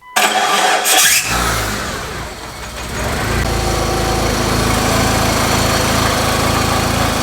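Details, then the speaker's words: Mitsubishi Eclipse after replacing the destroyed, play-ridden transmission input shaft bearing, car not yet fully reassembled: starter catches, engine settles into an even run with no bearing whine or gearbox growl; the noise is gone. "Looks like we've got a success. The noise is gone."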